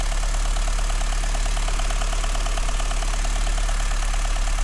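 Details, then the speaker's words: VW Golf 2 GTI 16V turbo on stock pistons idling steadily with a fast, even light ticking from the noisy Siemens injectors; the engine otherwise runs smoothly, normal injector ticking. "Le claquement que t'entends, c'est les injecteurs. Les Siemens, ils font grave du bruit. Mais sinon, ça a l'air de bien tourner."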